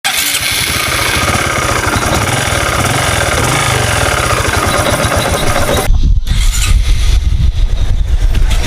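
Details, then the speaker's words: Honda Supra 125 FI that ran rough despite good piston, valves and cam chain; after repair, crankshaft bearing replacement suggested: steady, even smooth idle with no knocks or rattles; normal idle. "Oke mesinnya udah halus ya Lus Lus ya"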